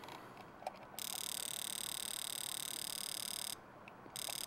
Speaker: now you hear that that's pulsing every time this is simulating the computer it's pulsing that injector now it doesn't mean the fuel's flowing through it but at least it's opening and closing